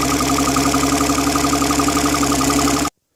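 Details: Mercury 135 OptiMax outboard after repair, running outside in the cold: steady, even pulsing at about four beats a second with a constant mid-pitched hum, no misses or knocks; runs healthy.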